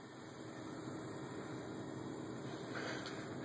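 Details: BMW 760Li with engine running and sunroof shut: a steady even hiss of air from the cabin ventilation, present at every climate setting, auto, hot or cold; the cause is unknown.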